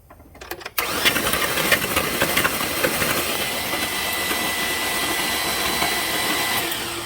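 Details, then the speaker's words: 2003 Chevy Silverado 5.3 V8 from a rollover, hydrolocked, cranked with spark plugs out: sudden fast even cranking with no compression pulses, sputtering at first as oil blows out of the cylinders on one side. "Yeah, we got a mess. But it was only on one side. Look at that. It was all on this side, but yeah, we made a mess. Wow, look at that. It sprayed all over the place."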